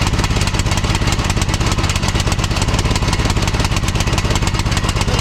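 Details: 2006 Troy-Bilt Pony lawn tractor, single-cylinder, after replacing a flooding carburetor and fitting a new BK5ECU plug: on full choke it pops unevenly with a hunting beat and no steady idle, running rich and rough; the new carburetor appears faulty.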